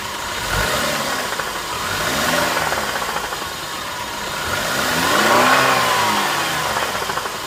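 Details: BMW E90 318i petrol, 2009, 140,000 km, drives normally: three throttle blips; as revs fall after each release a dull, irregular knock appears from the engine, cause unclear; knock on throttle release.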